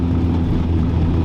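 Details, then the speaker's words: Nissan S13 180SX with R200 VLSD diff, third gear deceleration from about 2700 to 2000 rpm: steady low drone that stops when accelerator is touched; owner suspected diff, but re-shimming didn't cure it, driveshaft center bearing next suspect. "It's an example of how the car sounds on decel, pretty much from about 2700 to 2000 RPM."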